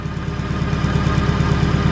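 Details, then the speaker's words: Turbocharged EK at rough idle with an uneven, lumpy exhaust pulse. One cylinder is dead from a clogged injector, confirmed because unplugging that injector changes nothing while unplugging each of the others makes it worse. "that's because one of the injectors is clogged on this thing um when curly was over here the other day he helped me diagnose that"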